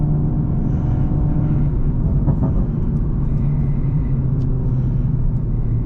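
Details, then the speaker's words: BMW M340i B58 tuned to 700 whp, after repairs: steady even low rumble while driving with AC on, no knocks, ticks or misses; engine healthy. "And yeah, it's healthy though, which is the most important thing. I even have the AC on."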